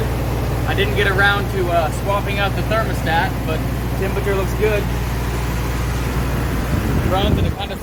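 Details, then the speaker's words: Engine after emergency brake refurb and fuel delivery fix, running on choke with no smoke, 30 psi oil pressure, good amp and temperature readings: steady, even idle with a smooth low drone and no misses, stumbles or knocks; normal idle. "sounds like it should."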